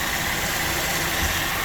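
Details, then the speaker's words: Used AC compressor: steady thin whine above even engine idle, strange noise suggesting a failing compressor; replacement to be proposed to the client. "It has a mere strange sound and if we see the marks there, that is, that compressor has already been used, well, we are going to inform the client and I don't know if the client is going to change it."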